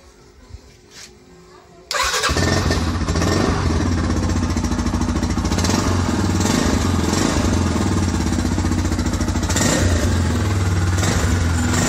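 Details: Yamaha Scorpio 225 motorcycle, unused about two weeks and not starting, suspected rat-chewed wiring: the engine catches at once and settles into a steady, even idle with no misses; normal start and idle.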